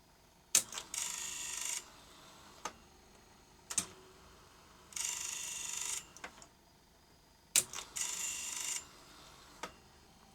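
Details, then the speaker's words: 1976 Philips N1502 video cassette recorder with keys not latching, trying to unlace a stuck customer tape: repeating click, about a second of high whirring, click every three and a half seconds; owner suspects the cassette shell top is jamming the unload. "it's stuck on something I suspect the cassette shell itself judging by that noise I think the top of the cassette might be jamming the unload"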